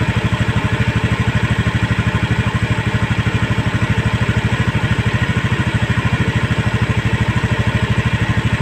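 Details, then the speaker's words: Honda Scoopy eSP scooter, idle raised to a stable 1600 rpm via the throttle body air screw to fix non-working idling stop; even quick putter, no knocks or hunting; normal idle after adjustment. "Hai putaran stasioner nya sudah stabil di angka 1600 Sekarang kita coba lagi buat Jalan Apakah sudah bisa berfungsi idling stop nya"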